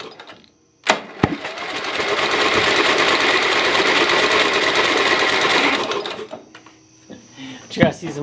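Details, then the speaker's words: Lowe's 1442 riding mower (14 hp, 42-inch cut), bought with a locked engine: the starter whirs steadily for about five seconds but the engine never catches; owner suspects excessive exhaust valve lash, seen at top dead center, but this is unconfirmed. "so I wonder if it's not starting because the valve lash is off so I don't know what to keep digging into though I don't think it'll start like this either"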